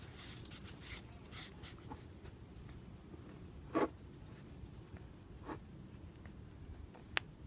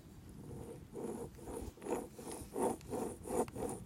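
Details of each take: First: A new wheel hub bearing assembly is hand-spun on the bench, off the car, for comparison with a failed one. It stays quiet, with only a few scrapes as the part slides on the surface. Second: Old wheel hub assembly removed from the car and spun by hand, compared with a new silent one: dry gritty rasping, seal broken and grease leaking; worn wheel bearing, noisy at high road speeds.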